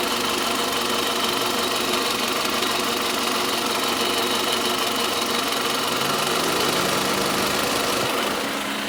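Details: Toyota Camry 40, 2.4 engine at steady idle: constant sharp ringing tapping around three beats a second, loudest near the alternator at the front accessories, always present; engine knock of unknown source.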